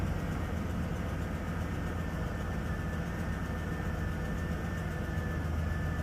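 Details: 2014 GMC Savana (Chevy Express) idling after a wiring repair that fixed a crank-no-start with P0230 fuel pump relay control circuit code (new fuel pump and relay fitted): steady, even low rumble with no misses or knocks, healthy idle.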